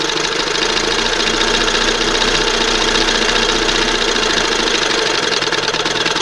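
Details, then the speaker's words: 1971 Johnson 20 HP outboard on a replacement old-style carburetor after the OMC primer pump failed: fast, busy, even buzz with light rapid clatter that never settles to slow idle; idle stuck high. "I'm going to open it up just a hair more. It's got to idle down there. I don't understand this thing."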